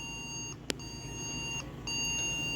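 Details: Yard-sale desktop PC at power-on: long, high, steady POST beeps repeating about every second, unchanged after removing and refitting the CMOS battery. Owner suspects bad RAM despite reseating it twice; fault not confirmed.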